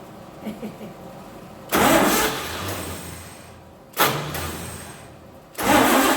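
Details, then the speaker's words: 1948 Chevy truck engine, not run for 30 years, diesel fuel in the oil pan, gasoline primed: repeated cranking bursts that fade without catching; no spark, cheap points burned from 12 volts. "make our points about too hot cheap Chinese points are uh burned already because they don't like 12 volts"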